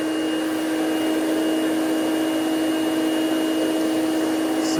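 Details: Green Hoover Celebrity QS Quiet Series two-speed canister vacuum with power nozzle plugged in, started on low: even, steady motor whine, constant pitch, no rattle. Runs normally, though the owner notes slight bearing noise on wind-down.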